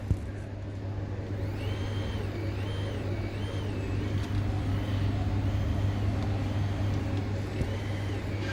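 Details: 2012 Mercedes C63, 193k km, during supercharger installation: fuel pump run from an aftermarket controller on a separate battery with a dimmer, engine off; constant low hum with a high whine rising and falling smoothly with speed; pump running normally.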